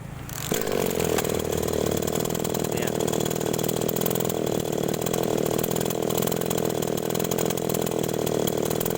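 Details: Small agricultural sprayer engine, restarted: catches within half a second and settles to a steady, even buzz with no misfires; starts and runs normally.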